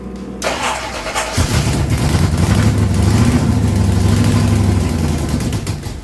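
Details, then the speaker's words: Ford Pinto drag car with a rebuilt Holley carburetor and new plugs: cranks, catches and runs a few rough seconds with no steady idle before fading; stalling at idle because a spacer blocked the carburetor idle circuit hole. "this hole is now blocked there it is see and that hole here is for the idle circuit so that's why I couldn't get it to idle"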